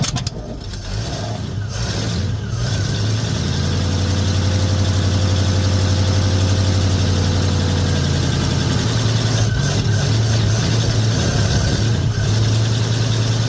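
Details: 1950 Ford F1, Flathead V8 8BA, on startup after replacing the leaking exhaust manifold gasket and missing header bolts: catches and settles into a smooth, even low idle with no ticking or puffing from manifolds; exhaust leak fixed.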